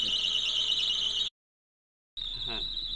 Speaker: pickup দিও না, মানে এটা ফ্যান বেল্টের একটা আওয়াজ, নতুন ফ্যান বেল্টের কারণে এই আওয়াজটা